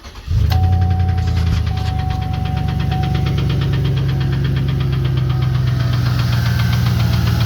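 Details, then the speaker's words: 2015 Chevy Express 1500 van V8, warranty inspection, full clean oil pressure: starts and idles low with light uneven ticking; something on cylinder seven briefly, suspected sticking lifter, not confirmed. "all right we had a cylinder seven there for a second I suspect the uh the lifter might be sticking got good old pressure"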